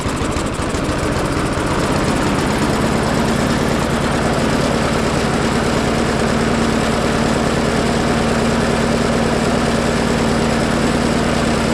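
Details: Craftsman push mower found in the trash, a non-starter with a filthy air filter and a "never change the oil" label, running with the air filter cover off: chugs unevenly at about three beats per second; rough running, cause suspected, not confirmed.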